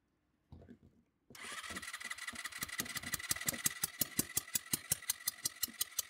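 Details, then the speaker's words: Scooter compression test while cranking with the throttle open: sharp hissing puffs about three per second as pressure escapes past the hand-held push-in tester adapter; the screw-in adapter sealed better. "Nee, leider entweicht er der Druck, das kann man gut hören. Mit dem Schraubadapter war es besser."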